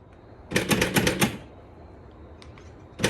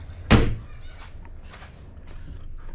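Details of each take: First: BMW E53 X5 rear tailgate lock: rapid bursts of sharp mechanical clicking from a latch with a broken return spring. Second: BMW E53 X5 rear tailgate after the latch repair: single solid thunk as it shuts and latches cleanly, locking and unlocking with no more clicking or rattle.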